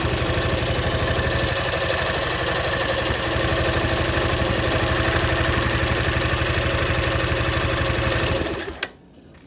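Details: Aprilia Atlantic 500 scooter, not run in over ten years, after fuel leak fixed with JB Weld: steady, even idle with quick regular pulses for about eight seconds, then shuts off cleanly, no missing or faltering.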